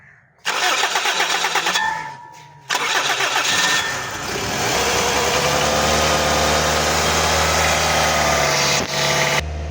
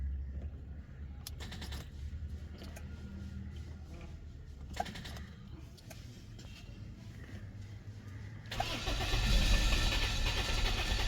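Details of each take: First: Toyota Corolla with a morning cold-start problem, recently fitted with a gas kit, check engine light on and temperature gauge not working; starter grinds, engine catches to an even slightly raised idle, smooth hum, no misses; normal idle. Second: 2005 Toyota Corolla, 166,786 km, check engine light on; starter cranks at steady even rhythm for several seconds but never catches; crank no-start traced to broken coolant temperature sensor wire.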